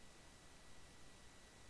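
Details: Microphone input in OBS Studio: a steady low hum with faint hiss fills the quiet noise floor, an unwanted mic buzz.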